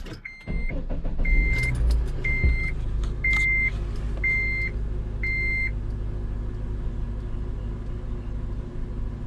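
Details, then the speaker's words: Honda Element after sitting a while, with a transmission shudder and bucking between gears. Engine warming up at idle: an even, low rumble with no misses or knocks while a dash chime beeps and the maintenance-required light comes on. The engine sounds good. "You can see the maintenance required light comes on, and engine sounds good. I'm just letting it warm up just because it's been sitting a while."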